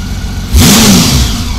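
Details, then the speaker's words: 1999 Honda Valkyrie Interstate six-cylinder after carb rebuild and four-bank sync: a quick blip snaps idle up sharply, then it falls cleanly back to even idle with no hang or dip. Healthy throttle response, though slow jets indicated slightly rich. "she don't hang at all and uh she doesn't take a nosedive after a snapping the throttle you know and idle down and come back up"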